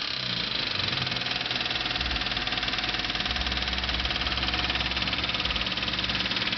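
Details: Honda Civic D15B7 engine at steady idle with a light, fast ticking about three per second; clicking noise, source not pinned down.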